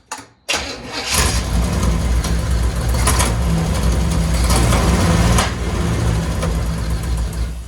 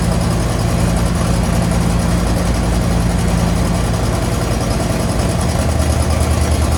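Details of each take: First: 1963 Chevy Impala V8 after carb gasket work, idle turned up: rough idle with sharp irregular clunks every second or two; source unknown, owner investigating (loose cylinder 3 valve ticking, bent rod, flex plate issue noted). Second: 1963 Chevy Impala V8 after new carb gasket, fuel pump and rubber fuel lines, idle turned up slightly: deep, steady idle with an even beat, no misses, hunting or knocks. Normal idle.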